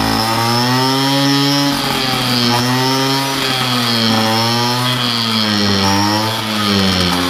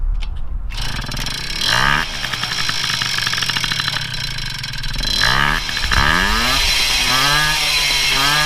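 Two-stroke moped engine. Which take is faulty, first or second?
first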